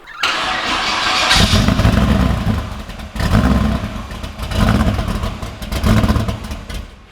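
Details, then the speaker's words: Blown 383 stroker LS1 V8 in a VY Holden One Tonner ute, first start on a base tune after a long build: a brief crank, then it catches and barks into a lumpy idle with a few crisp revs; a healthy first start. "Woo. How's that, mate? It's alive. It's alive after all this time."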